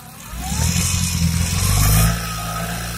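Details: Engine revs rise under throttle with a rough, buzzy rattle and shudder riding over the note, then settle back; annoying rattle when pressing the accelerator, cause unclear.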